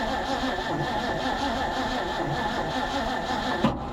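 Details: Abandoned 1950s Ford F5 tow truck, long sat outside, on jumper cables: steady starter cranking with occasional firing catches that never pick up into a run; cranks and fires but won't start.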